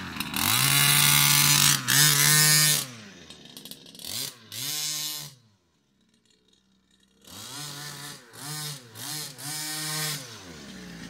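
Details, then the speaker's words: Baja 5B RC car two-stroke after swapping in a different carburettor: crisp rev blips climbing and dropping cleanly with sharp pickup, no stumble; runs healthy, carb was the fault, not the piston ring. "as you guys can see cop swap out immediately it revs up it's got the performance"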